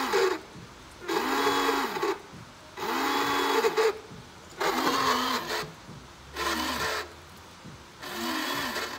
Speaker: miren el sonido y está cambiando [Música] ya no soy yo así como que que se estuviera arrastrando el motor